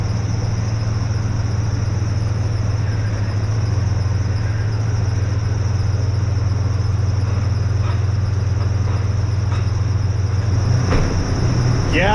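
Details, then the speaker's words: 2005 Ford F-150 XL 4x2, lifted, Triton V8, brought in for a customer-reported knock and metal in the oil: steady idle rumble with a thin high chirping squeak from the accessory-drive belt tensioner, no knock found. "yeah it's all I hear is noise in the uh accessory drive"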